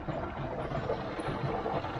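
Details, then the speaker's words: Air source heat pump circulation pipework after filter clean, pump at about 50-60 power: gurgling trickle and bubbly pops over low pump hum as air works through; air lock being purged, blamed on poor pipework. "oh there you go lovely little air coming through and that goes quiet"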